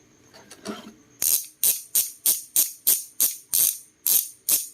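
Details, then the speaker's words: Oil Slick Weapon Beast bicycle hub spun with the rubber dust cover removed: sharp, loud, high-pitched freehub ratchet bursts about every third of a second. It is noticeably louder without the seal. "Mas maingay siya pag wala nitong dust cover. Ito pinaka-rubber niya. Pero syempre importante ito na. Ito yung tunog pag wala nito."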